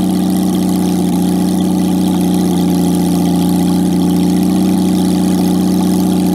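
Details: Jaguar XK6 inline-six after a junkyard rebuild, no exhaust, no radiator, in a homemade boat-tail speedster: loud open-pipe idle, steady and even with no misses, knocks or ticks; normal idle.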